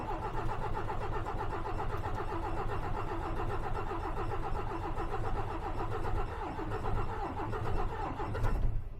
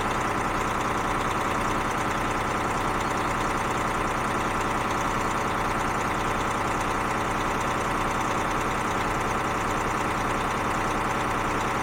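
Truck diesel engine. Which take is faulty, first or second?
first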